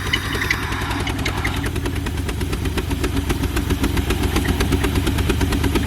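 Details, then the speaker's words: Car with erratic idle and flashing misfire light, seafoam added to oil and gas: lumpy idle around 500 rpm with hissy suck from the intake at the idle air control valve inlet; owner suspects air leak there, unconfirmed. "Yeah, it's going to get real rough. It's down to like probably like 500 RPM range. And then you hear the sucking coming from up here."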